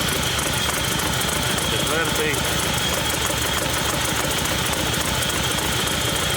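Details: Hyundai Santa Fe diesel, smoking, at idle: rough lumpy stumbling idle, third cylinder not working; only an EGR code logged, runs normally at 2000 rpm, oil leaking behind the engine; dead-cylinder misfire.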